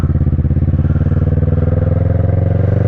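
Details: 2010 Kawasaki ER-6n twin after new coils, spark plugs and cam/valve work: even, steady low exhaust pulses at idle with no knock, tick or misfire; ticking over smoothly, normal idle.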